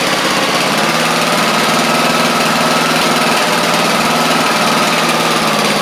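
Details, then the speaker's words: Craftsman YT4000 riding mower getting an engine swap (original 24 hp Briggs apparently ran low on oil), warm-up run: even, steady single-cylinder drone at constant speed with no misses or knocks; runs smoothly, normal running. "And that's actually that's really good actually. Um, runs pretty good."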